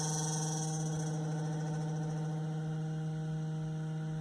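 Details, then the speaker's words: Ryobi propane inverter generator (RYi911LP/RYi900LP) with newer-style propane cylinder attached, primer button held on the side: warbling electric whine settles to a constant whine, believed to mean it's primed full; normal fuel primer pump. "hear you hear that and so we went from that kind of warbling sound down to a nice constant wine which I believe uh means she's full up"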